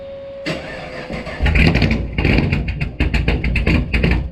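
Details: Blower engine just started after a new TSP blower cam swap on a new tune: it settles into a choppy, uneven big-cam lope with sharp exhaust pulses. Healthy for the cam; the owner hears a more toned sound.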